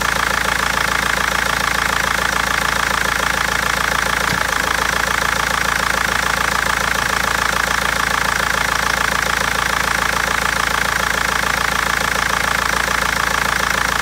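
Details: BMW 320d diesel with a sharp, steady knock about 207 times a minute over a rough idle with uneven misfiring beats; injectors or tappet suspected, cause unfound by garage and seller for over a month.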